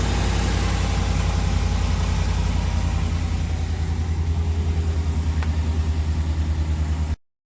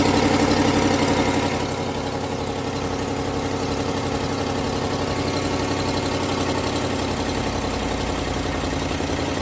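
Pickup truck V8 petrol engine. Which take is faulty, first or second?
second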